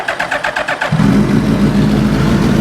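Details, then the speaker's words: 2000 Suzuki GSX1300R Hayabusa with a possibly newer (about 2002) engine, after a new plug and rechecked injectors: short starter whir, catches within a second and settles into a smooth, even idle on all four cylinders. "now you can hear she's running all four cylinders so I'm pretty pumped up about that"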